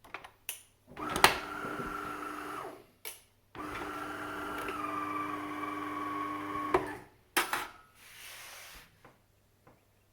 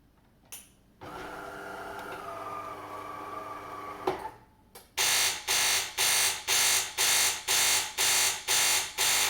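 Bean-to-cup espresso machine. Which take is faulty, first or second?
second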